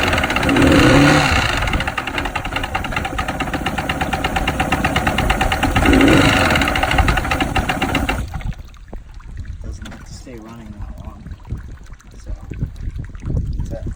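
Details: 1997 Mercury 115 hp oil-injected inline outboard that shut down at sea: steady, hard knock about three beats a second, then shuts off; bad crank bearing.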